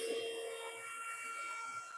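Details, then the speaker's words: Motherboard test in a PC case missing its front cover, at power-on before POST. Loud rushing hiss with steady tones that eases off slightly over two seconds, from the rear case fan running flat out; it is to be unhooked. "What fan is running like it's about ready to jump out of the case? That rear fan, we're going to unhook that."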